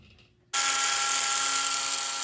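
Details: Vintage Lionel 3927 track cleaning car motor after disassembly, cleaning and repair, on track: spins up abruptly into steady high even whine, no catching or grinding; rotates very well, normal motor run.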